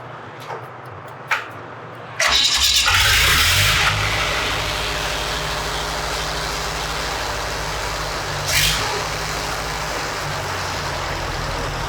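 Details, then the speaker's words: Lincoln Electric SA-200 welder gas engine after installing a new Zenith carburetor, stop assembly backed out for low idle: clicks, then it fires and settles into a low, slightly uneven idle; normal start. "I have to make sure it's on the low idle circuitry so I'm going to run the stop assembly out to where I can it'll just barely be running when I'm doing this"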